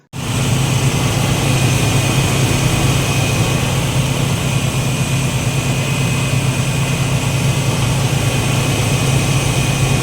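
Engine catches straight away and settles into a steady, even idle with a low rumble and no misses or knocks.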